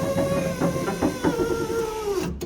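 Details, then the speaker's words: 1982 Ford Bronco rear tailgate window after replacement motor installed, running all the way down: steady whir whose tone sinks lower as travel continues, then stops; motor bogging near end of travel, owner plans to sand, clean and grease the track. "That's all the way down. And so you can hear the motor bogging down as it goes further."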